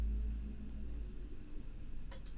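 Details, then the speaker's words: Breadboard 8-bit computer on a bench supply: while trying to turn an LED on, a few sharp clicks come in quick succession as a short circuit occurs. A chip got hot, and the current limiter was then reset. "gosh I did a short circuit did you hear it clicking oh oh oh that oh that chip got hot that chip got hot"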